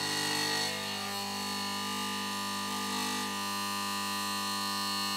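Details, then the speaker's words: Mazda Esthelux 400 luminaire, at power-on: a steady, loud hum with a rich buzzy edge from the magnetic ballast. Some laminations around the iron core were deliberately loosened so the ballast vibrates. "Donc j'ai un peu modifié l'appareillage pour qu'il fasse un peu de bruit. Je lui ai décollé quelques lamelles là autour du corps ferreux. Comme ça fait vibrer le ballast et ça donne ce résultat là."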